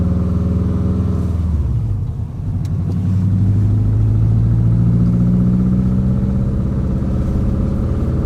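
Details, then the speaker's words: Subaru WRX with a fully built engine, driven warm after bleeding the cooling system. A deep, steady exhaust drone climbs evenly with throttle, with no stumbles. Healthy under load after fixing the cylinder 2/4 exhaust cam, which was two teeth out of time and caused power loss. "Oh, so much better. Heck yeah, dude. So the the loss of power was due to our exhaust cam on our cylinder 2 and four being two teeth off out of time with everything else. Now it drives like a dream."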